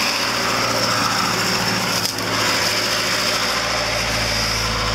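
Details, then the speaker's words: Lada engine after a new timing chain and an adjustable camshaft pulley set slightly advanced: steady, fairly high buzzing rev with no rattle or slap from the front, the old chain noise gone; normal revving. "now the timing chain don't make that kind of noise but like it's made the previous because now it's new"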